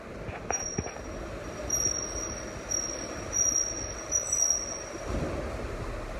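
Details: A thin, high-pitched squeal keeps coming and going in short bursts over a low rumble; the Flex is squealing, source can't be pinned down.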